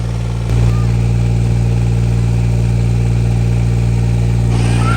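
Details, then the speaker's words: Green APU on a semi truck, started during DIY service after a warning noise and a roughly 30-second start delay: the small diesel fires right up and holds a smooth, steady low drone with an even beat; healthy idle. "It'll start. It takes about 30 seconds. Woo! Fire right up."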